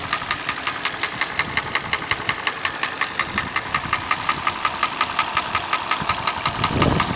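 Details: Hyundai ix35 petrol engine: sharp, regular knock about three per second over idle, rising slightly as revs pick up; source undiagnosed, cause not confirmed.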